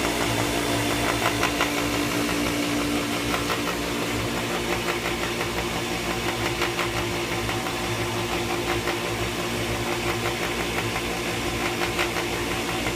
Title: Pentair Whisperflo still noisy after bearings replaced.